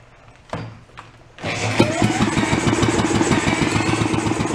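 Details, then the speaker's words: Antique two-stroke inboard marine engine, sat 35 years, restarted after flooding and refuelling: a few cranking thumps, then it fires and holds a fast, crackly beat about three pops a second, smooth and running. "fuel come on that was better that sounds nice and smooth doesn't it"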